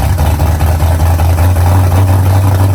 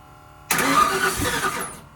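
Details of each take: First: Freshly installed engine in the driveway, first start after timing set and firing order corrected, semi-cold start around 63°F, pressure gauge hooked up; settles into a smooth, even low hum, picks up slightly, then shuts off cleanly with no misfire or knock; normal running. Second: First start of a newly installed engine, with initial timing set and jumper cables attached. A short burst of cranking catches for a second and dies. Owners say it has no gas in it and suspect timing issues.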